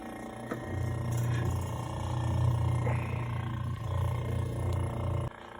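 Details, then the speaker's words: 1930s Westinghouse refrigerator running: low, steady hum with soft even throb, no knocking, clatter or rattle; compressor sounds good, though it cuts off after a minute or two, suspected dented faulty control. "I just think it's such a neat little fridge. It's so small. Compressor does sound good."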